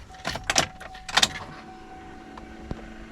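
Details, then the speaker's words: 2004 Chevrolet Suburban flex-fuel after in-tank fuel pump replacement without removing the tank: key on, the relay clicks, then a low steady hum as the new pump kicks on and primes normally. The old pump had an intermittent fault, relay clicking with no pump sound. "okay i heard the relay click and i heard the pump kick on"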